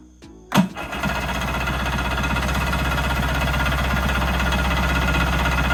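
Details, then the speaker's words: Kawasaki JS440 two-stroke jetski after replacing crank seals and a bearing: a quick crackling catch, then a steady, even high-pitched buzz; starts right up, smoky but running strong and clean. "Buddy, it's ripping. Look at that. Man. Got the fog machine on. But it runs, so I'm gonna throw the gas tank back on, fill it up with gas, and see if it'll suck it up and prime it up, and we'll go from there."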